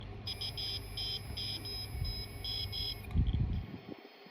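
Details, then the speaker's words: Seagate hard drive gives repeated short high beeps over a low hum; failed read/write heads, fixed by fitting new heads, after which the drive detected correctly. "okay we got some really funky noises coming out of this Seagate this Seagate has got the highest failure rate out of all hard drives and that's because it's the cheapest"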